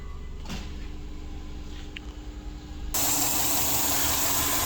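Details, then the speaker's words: 2002 Subaru Forester turbo EJ25, running lean at idle (P0171), engine cover off: quiet steady idle with a loud continuous hiss and rpm change; vacuum leak from a disconnected hose at the front. "so i've just taken the uh engine cover off and i straight away as soon as i opened the bonnet i could hear a vacuum leak down the front here you can hear the rpm change"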